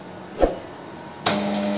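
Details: Epson LQ-2180 dot matrix printer at power-on: a click then steady motor whir droning nonstop; paper feed roller runs continuously and won't print, caused by loose sensor connector.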